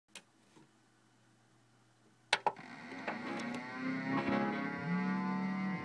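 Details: Xbox 360 powered on after sitting unused for years: whirring drone with wavering tone builds as fans run loud and rough from bad fan bearings.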